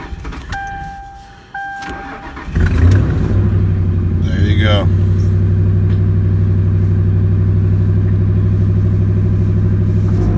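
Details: 2003 Ford Crown Victoria after fuel pump motor replacement, cold start in freezing weather with ice: a few chimes, the fuel pump spins up, a quick crank, and it settles into a steady, even idle.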